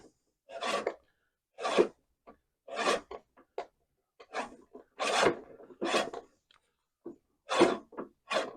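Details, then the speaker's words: Einhell battery reel mower after backlapping the blade, reel spun by hand: light even rasping swish, no harsh scraping, friction should be no stronger than this; correct reel-to-bedknife contact. "donc on on entend le frottementin faut que ce soit faut pas que ce soit plus fort que ça le frottement faut pas qu'il y ait plus de frottement que ça"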